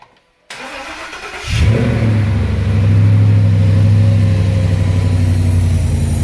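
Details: 2009 Mustang (formerly V6) with a swapped 5.0 Coyote V8 and 2014 Mustang GT harness, first start with engine cover off to check fuel leaks: short crank, catches cleanly, flares up and settles into smooth steady idle; healthy start.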